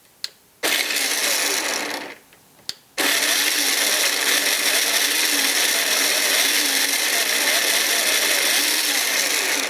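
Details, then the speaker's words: Makita XMU04 cordless grass shear, battery at 19.44 V, cover opened: after brief bursts, steady high buzzing whine with slight rise and fall in speed; motor surging at free speed, owner wonders about a pinched wire. "it's working but it's kind of surging I don't know if one of these wires got pinched"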